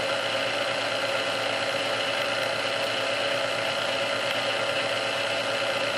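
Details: Restored Sunbeam Mixmaster Model 12 that had been quickly overheating its rebuilt speed resistor, after swapping all internal parts: even, steady whir with a light buzz on first (low) speed for about 2 minutes, no surging or labouring; original cause unknown.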